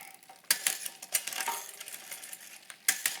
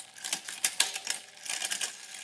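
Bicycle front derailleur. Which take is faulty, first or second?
first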